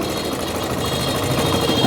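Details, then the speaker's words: Yamaha Crosser/Factor 150 idling after a starter replacement (worn starter bushing): a fast, dry metallic rattle from the clutch basket that eases when the clutch lever is pulled in and returns when released. "viu a diferença aí do barulho barulhinho da Campana esse barulho que tá fazendo aí essas moto faz muito esse barulho na Campana quando a gente aperta embreagem e diminui o barulho"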